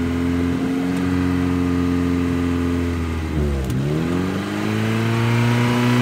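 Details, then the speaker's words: 1977 Honda Civic CVCC (Hondamatic, overhauled engine and carburetor, 97,803 miles) on a cold start: pulling the choke fully out richens the mixture, and the note dips then settles into a higher, steady, even fast idle for warm-up. This is normal. "If I pull it out, you can hear that it gives a richer mixture to the engine and an opportunity for it to warm up."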